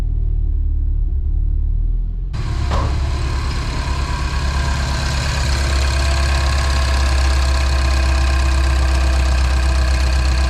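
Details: Mini R56, first start after ultrasonic cleaning, overhaul and partial replacement of the injectors to fix a cold-start misfire: the starter cranks briefly because the fuel line is empty, then the engine catches and settles into a steady, even idle with no stumble or misfire.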